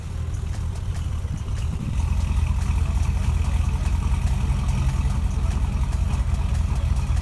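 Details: Chevy Avalanche V8 after fixing a P0300 random misfire by swapping the cam sensor and relocating a harness ground off the valve cover: deep, even rumble with no stumble or skipped beats, now firing cleanly on all cylinders.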